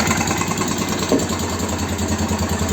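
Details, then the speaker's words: BM Motard 250 single-cylinder after engine rebuild, idling: regular tapping knock riding on each firing beat, seemingly from the top end; cause not yet found, engine to be dismantled again. Engine knock. "запустил мопед Вот но слышно стук вон"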